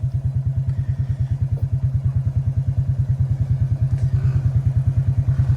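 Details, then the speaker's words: Quad bike revved while watching battery voltage: fine below 14.5 V, but at 16–17 V it stumbles and cuts out with a rough, uneven thudding; overvoltage from a faulty rectifier. "You rev it up, it's nice. Hear that? 16 volts cut out, now the connections come off."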